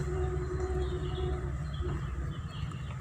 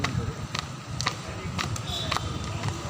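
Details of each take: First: Car whose owner reported noise from the left-side tyre, after fix: a low, even road rumble with no rhythmic thump, tick or scrape, birds in background; tyre rolling quietly, normal. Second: Car driving on the road: light tapping about twice a second over low road rumble, keeping time with wheel rotation, coming from the left side tyre; something lodged in the tread.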